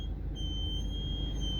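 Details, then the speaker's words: 1998–2002 Honda Accord 2.3, warmed up, idling with foot on brake pedal: thin steady high squeal over low idle rumble, changing with pedal pressure and stopping if pressed too hard or too lightly; mechanic diagnosed a brake booster vacuum leak. "all right so foot on the brake pedal after the car is warmed up it makes this funny sound and the sound changes depending on how hard i push the brake pedal"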